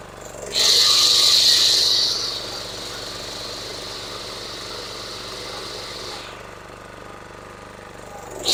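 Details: DR two-wheeled string trimmer (Country Home Products) with electric start, auction-bought and previously non-starting; after draining overfilled, water-contaminated oil and servicing the carburetor, the small engine revs to a high buzzing whine, settles to a steady lower run and picks up again, running smoothly.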